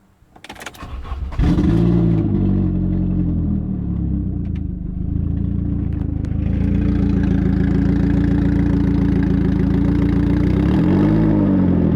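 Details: Saab 9000 engine catches and settles into a coarse, puffing, tractor-like chuffing idle that rises when revved, from an exhaust leak.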